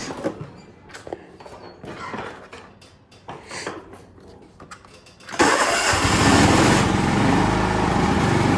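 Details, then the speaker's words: John Deere LX176 riding mower after the long-cranking fix by throttle cable and choke adjustment: engine catches instantly and settles to a steady, even idle; starts and runs normally. "all right starts right off that's it thanks guys"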